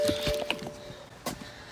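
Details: BMW N52 e91 wagon (313,313 km) after VANOS solenoid and ground strap work; a short two-tone chime over quiet cabin clicks during a failed start, the cluster's transmission malfunction warning, while the fuel pump kept priming.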